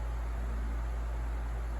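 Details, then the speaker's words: 16-inch Galaxy oscillating table fan, a thrift-store find, running on its last test run: a steady, even rush of air over a low constant hum with no rattle or wobble. It is running normally, as expected. "yeah it's about right where i would expect it to be so the fan runs pretty good"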